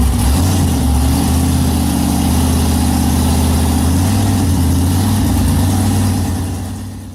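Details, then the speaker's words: Blown alcohol 522 ci big-block Chevy (Dart block and heads, Callies crank, Oliver billet rods, JE pistons) on a chassis dyno in the truck under load: deep even supercharged V8 roar, clean regular firing, no knocks or misses. "so I'll insert a clip of this motor on the dyno at Steve Morris's on the chassis Dyno in the truck so that way you guys can hear what this thing sounds like"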